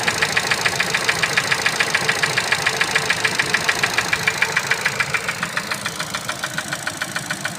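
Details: Ford Focus 3, 125 hp: sharp metallic tick-knock about three to four times a second over a quiet idle with a very regular beat; engine knock, cause unknown.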